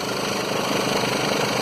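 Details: 2011 Mercedes Sprinter 313 diesel at idle: rough buzzing shudder over the clatter from a seized alternator pulley, which makes the belt slip and shakes the engine; the pulley bearing itself does not squeal.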